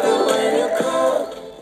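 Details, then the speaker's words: 2+1 PC speaker set after repair, circuit board cleaned and solder joints reflowed to fix crackle and volume-pot dropouts: music plays clearly with no crackle or dropouts, old crackle gone. "Bakın. O eski cızırtı yok."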